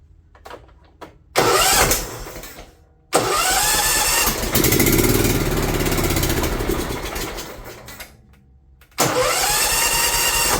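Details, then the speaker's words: John Deere LT150 small engine on its first test run after governor replacement, not yet warmed up: it catches, runs rough, then sags and fades out; owner wonders if the fuel pump is at fault; exhaust gasket also leaking. "having a hard time staying running though wonder if it's that fuel pump"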